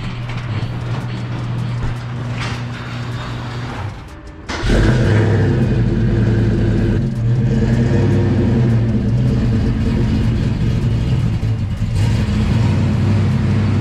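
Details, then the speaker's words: Fox-body Mustang cold start in background: after a quiet start it catches with a heavy lumpy rumble pulsing about four times a second, not quite even; owner says it may have cold-starting issues, not very happy, cause unconfirmed. "yeah but there we go i might have some issues with tar heel fox cold starting you can hear her in the background she's not very happy"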